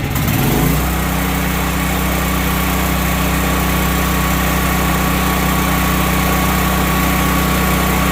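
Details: Duromax XP12000HX generator after fitting NGK BPR6ES spark plug and new fuel hose, previously backfiring and hard to restart: pulls over, catches within a second, steady even hum, no popping or misses. Normal start and run.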